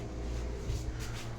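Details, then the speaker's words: Mainstays hugger ceiling fan on high, capacitor already replaced, light works: low steady electrical hum, blades trying to move but not spinning; motor energised but stalled, owner suspects a bad reverse switch. "it is humming it is humming I can feel it now it's on high"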